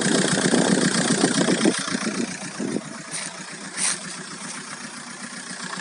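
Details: VW Golf 4 1.9 TDI 115 4Motion diesel at idle: light, quick ticking about three to four times a second over the usual clatter; owner hears a strange engine noise, source unclear.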